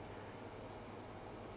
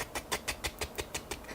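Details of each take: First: Box fan on a bench power supply after its bearing was oiled: soft, steady airflow hiss with only a faint low hum, no ticking, rattle or grinding; the earlier noise is gone, normal quiet fan running. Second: Box fan: sharp regular ticks about six per second over a faint hum, a dry fan bearing clicking as the blades turn; tapping the case brought a roaring, funky sound.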